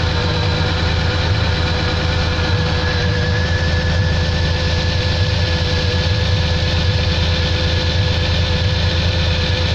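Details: Pontiac engine at steady idle with a regular knock, about three per second, clear above the low engine drone; cause undetermined.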